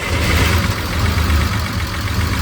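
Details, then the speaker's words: Unimog, bought over 4 years ago and long sitting, started with battery charge in doubt. Low, loud idle with an uneven, lumpy throb instead of a smooth beat. Owner thinks it might be misfiring a little. "Sounds like it might be misfiring a little bit."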